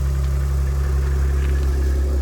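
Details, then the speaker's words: 2010 Jeep Wrangler, Chrysler V6, just cold-started at about -5° (dash says 5°): deep, even idle with a steady low rumble, no knocks or misses, settling normally. "it sounds like a Chrysler v6 if I'm going to say pretty salty as you can see"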